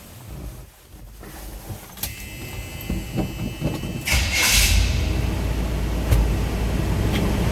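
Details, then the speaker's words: 1978 Chevrolet K20 Custom Deluxe 4x4 with 3,222 believed-original miles on the odometer: the starter cranks briefly and the V8 catches at once, then settles into a steady even idle. Healthy start. "Great running truck. Obviously starts right up."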